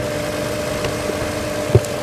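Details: 2022 Toyota Avalon after repair of a cylinder 5 misfire code; smooth, even idle with a steady low hum and no misses or ticking; the misfire is gone and the engine is running right.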